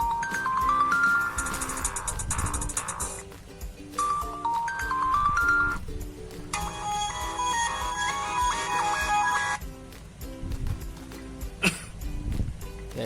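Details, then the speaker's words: Sony Xperia XZ2 (Docomo) after repair of dead loudspeaker and earpiece: ringtone plays very loud and clear, no crackle, buzz or dropouts — loudspeaker working normally; earpiece not yet verified. "Kita tes nada deringnya, kita coba. Oke, sangat kencang sekali."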